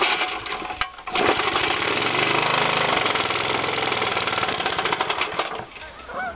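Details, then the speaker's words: Tiny single-cylinder engine on second run with cork piston crown (1/16in hole), run without oil: fast ragged uneven popping with harsh clatter, cork or something hitting cylinder head and cork chunks blowing out exhaust; failed cork piston scored the cylinder. "some of the cork or something's hitting the uh cylinder head I can hear it making a nasty noise there"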